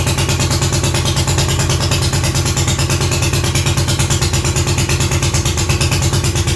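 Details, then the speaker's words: Classic Triumph TR6 motorcycle twin with a hard start that fires on starting fluid: lumpy, uneven firing at about three beats a second, struggling to stay running and popping on throttle. Owner suspected timing, fuel or stator; ignition timing was set on the wrong stroke. "i can get it to start i just can't keep it running for a long period of time and i try to hit the gas it pops a lot so it's it's definitely got to be timing or it's got to be a fuel issue"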